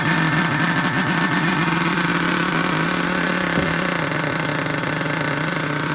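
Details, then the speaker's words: Traxxas Revo 3.3 nitro engine, bought used, with the glow plug loosened because the engine was so tight: loud, buzzy, uneven, wavering and stumbling. Rough running from compression lost at the loose glow plug. "there it goes okay okay that sounds all screwed [Music] up"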